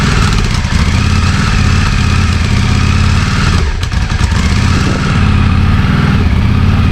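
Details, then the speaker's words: 34-year-old Yamaha Virago 535 V-twin, last run in 2003, after carb cleaning and a ride around the block: fast idle with an uneven, stumbling beat. High idle with misfire; carbs or a dead spark suspected. "So, I've got it running. It took it around the block and it seems to be idling very high and it seems to be like misfiring as well."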